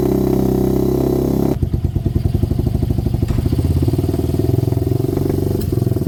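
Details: HMC 125cc single-cylinder motorcycle, quick test run after a valve fix, before the first test ride: fires and settles into an even, steady beat with no misses or knocks; starts and runs cleanly.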